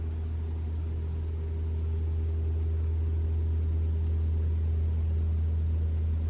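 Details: 2021 Toyota RAV4 Prime SE started in EV mode at 49°F, heater on Auto high, AC off, testing for intermittent loud heat pump noise; only a steady low hum, no horn-like blast: normal heat pump hum.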